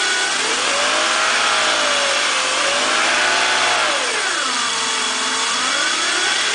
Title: BMW M54 weird engine noise purr.